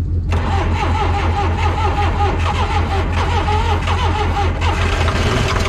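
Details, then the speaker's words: Diesel backhoe being cranked with ether: steady starter churning at about two turns a second with only odd weak firing, never catching; no fuel coming through suspected. "Do you think it's not getting any fire? It sounds like it is."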